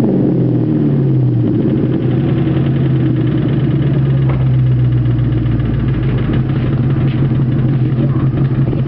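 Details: 2001 Mustang GT convertible V8 before rebuild: deep, steady rod knock under the exhaust quickening as the engine revs.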